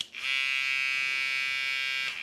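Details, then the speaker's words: Kemei 3023 hair trimmer with aftermarket AliExpress blade fitted: loud, steady high-pitched buzz throughout, no knocking; owner says something seems not positioned correctly or a little loose, yet it has decent power and cuts well. "Zgomotul e foarte puternic. E ca și cum ceva nu ar fi poziționat corect, dar se aude, toată lumea, e tare."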